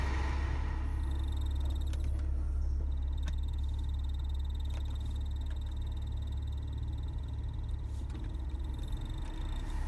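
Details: BMW E46 air conditioning running, with a rough, repetitive croaking about four times a second over a deep running hum. The cause is unknown.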